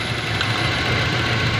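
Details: Toyota 7K engine at idle: steady low idle with an uneven, lumpy chug in the exhaust beat, missing on a cylinder; engine misfire at idle.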